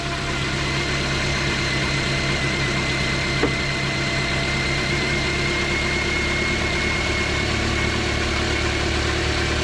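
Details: Car after alternator replacement, checked for squeak and reading about 14 V. Smooth, even idle with a faint steady whine from the front and no chirp or squeal: belt drive healthy.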